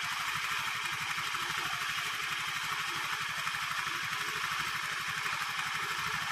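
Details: Honda Vario 110 carburettor scooter after fixing lack of power caused by the carburettor vacuum slide rubber (automatic choke also noted faulty, hard morning starts): fast even putter at idle, no hesitation or misses; healthy.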